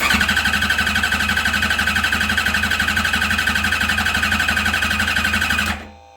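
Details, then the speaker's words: Engine cranking again for a voltage-drop cylinder test, about 15 V: steady, even cranking, about four beats a second, no skipped stroke; strongest reading moved to cylinder 3, so not necessarily a bad cylinder, just fluctuating voltage. "See how it moved to number 1? And now number 3 is my strong cylinder, which is telling me that I don't necessarily have a bad hole. It's just the voltage is moving."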